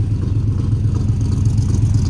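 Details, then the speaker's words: Cammed V8 truck (about 450 hp) after header gasket replacement and oil change, coil pack accidentally left unplugged: deep lumpy idle with an uneven chopping beat like a four-cylinder, running on only four cylinders; misfire from the unplugged coil pack. "now guys I realized that I sounded kind of like a four-cylinder because it kind of was running on four cylinders so I forgot to connect the coil pack"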